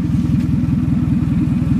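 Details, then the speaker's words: 2000 Toyota Camry, 180,253 on the clock, after replacing a failed ignition coil, misfire gone: low, even idle with a fast metallic buzz on each firing pulse from something loose on the exhaust, present for about 12 years; exhaust rattle at idle. "Now that rattle is something it has done for, I don't know, 12 years when it's in a low normal idle. There's something on the exhaust that is vibrating and it does that every now and again."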